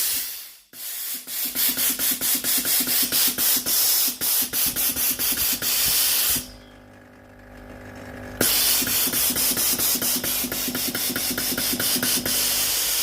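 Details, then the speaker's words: Philips GC9622 steam iron after solenoid water valve repair and reassembly, water supply button pressed: strong steady hiss with quick even pump ticks, a little over two per second, brief pause then resuming; normal steam output. "Turn on the machine and test the system again. When the machine is ready to use, press the water supply button."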